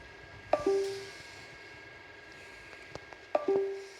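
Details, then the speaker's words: AQS-001 sensor plugged into a laptop by USB after its firmware was erased: a falling two-note chime repeats about three seconds apart in a quiet room as the device keeps disconnecting and reconnecting, with Device Manager constantly refreshing. "Now I'm going to connect it back. The laptop acknowledges it, but it keeps beeping at us."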